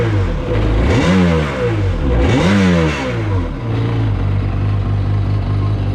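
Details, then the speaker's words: 2003 Sea-Doo XP DI 951 two-stroke, after replacing the voltage regulator, fuel pump and filters, run out of water: two sharp raspy revs that climb and drop back cleanly, then a steady even idle; sounds healthy. "it definitely sounds good raspy sounds good"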